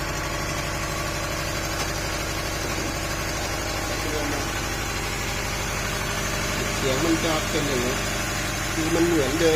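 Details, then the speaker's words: Honda CR-V second generation at idle: steady idle with uneven lumpy pulse and occasional stumble; rough idle/misfire, owner plans to test ignition coils or spark plugs, cause not confirmed. "เบื้องต้นมันคือมันสะดุดเหมือนเดิมไม่ครบสูตรเดี๋ยวผมจะลองติดเครื่องนะครับลองดู"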